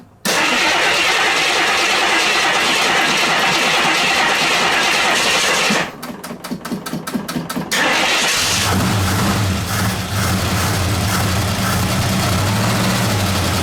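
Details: 1969 AMC Javelin, 290 V8 with old fuel and a carburetor accelerator-pump fuel leak: after a short crank catches and settles into an uneven, stumbling, lumpy idle; misfire from loose spark plugs.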